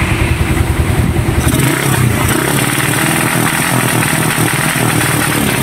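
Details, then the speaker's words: Raider 150 motorcycle after engine refresh: revs climb then stutter and cut out in choppy bursts, rapid backfire, no pull; CDI had been converted to a Wave 125 4-pin unit, and replacing the CDI did not cure it. "problema nito mga Kula ganito para daw naka rapid backfire ayaw humatak Ayan ang tunog o tambot nio [Musika] oh dalag sabi naputol parang napuputol yung RPM niya"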